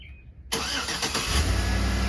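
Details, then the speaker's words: 2007-2014 GMC Yukon XL 5.3 Vortec after replacing a failed, extremely loud water pump and belt tensioner pulley: engine catches quickly and settles into a smooth, even idle with no whine or rattle from the front. "Oh my goodness, so much quieter. Makes you realize how loud it was before when the other water pump was going out."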